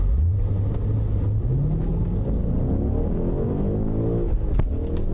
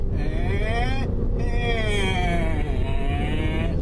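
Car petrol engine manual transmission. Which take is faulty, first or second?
second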